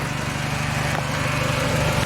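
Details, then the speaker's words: 1997 Honda Civic after partial engine rebuild, low idle and no power: steady busy idle with a fast rubbing, whirring rasp; owner suspects the belt rubbing the timing cover, unconfirmed; alternator charging 14 V. "So I don't know what that sound is. And my only bet is like in here, the timing cover, that the it sounds like the belt's rubbing against it, but I don't know how that's possible."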